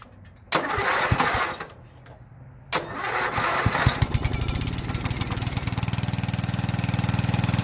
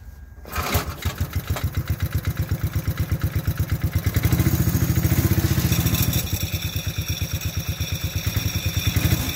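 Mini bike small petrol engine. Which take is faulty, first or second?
second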